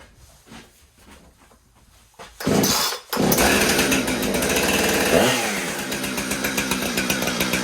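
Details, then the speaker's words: Husqvarna 455 Rancher chainsaw, reported running poorly, after routine maintenance, started with the choke and starter procedure. Quiet start, then it fires and settles into a crisp, even two-stroke buzz with clean throttle blips; running healthy. "Sounds great. Wonder if it'll cut wood."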